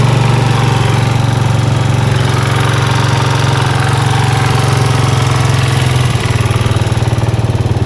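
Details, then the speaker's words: Suzuki Satria FU motorcycle engine running: fast, uneven tapping about four beats a second over the idle; recent odd noise, source unknown. "Bunyinya aneh pokoknya. Kira-kira agan-agan tahu nggak apa yang rusak?"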